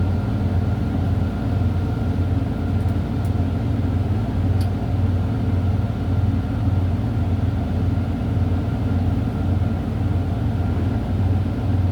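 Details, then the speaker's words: Truck diesel started at about 100 psi air pressure, gear in neutral and brakes set: deep steady rumble with even pulse about twice a second, no knocks or misses while the compressor builds to maximum pressure. "I'm going to go ahead and start my vehicle on to build up max pressure."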